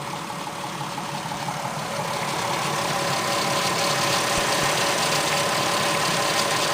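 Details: 24v VR6 idling: fast, even metallic timing chain rattle over the engine hum, gone above 1500 rpm; owner suspected blocked oil flow to the tensioner, which seemed confirmed.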